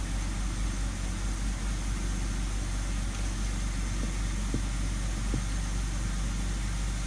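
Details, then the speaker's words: 2006 BMW 530i E60 petrol six-cylinder idling steadily and evenly with no stumbles after replacing the fifth ignition coil for a P0305 misfire code; no longer shaky. "i could feel it right away it was misfire i don't feel that shaky there's no more"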